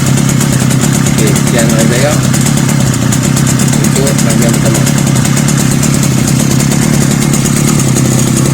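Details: Two-stroke brush cutter that would not start, now running after basic troubleshooting, including oil attention at the bottom: a steady fast idle with even firing and no misses or surging. The engine runs normally.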